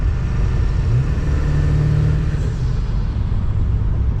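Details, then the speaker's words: Ford F250 Super Duty 4x4 7.3 turbo diesel after rear driveshaft replacement, cruising at road speed; steady even low rumble, previous clunking, vibration and wah-wah out-of-balance throb gone; driveline smooth and healthy. "takes right off no more clunking no more vibration no weird noise"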